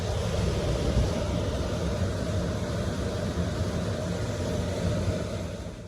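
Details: Carrier furnace/AC blower after replacing the failed blower module and motor, harness taps reconnected: a steady even rush of air with a low hum, no knocks, rattles or squeal; normal blower operation.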